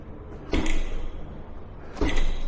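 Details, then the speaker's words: Segway GT3 Pro electric scooter riding over bumps, two sharp rattling clunks over road rumble from the rear wheel area, one day after repair; loose part suspected, possibly inside the rear hub motor or deck, not found. "But, yet there is this rattling sound. Which is very strange. And while while riding you can hear that on every imper- imperfection."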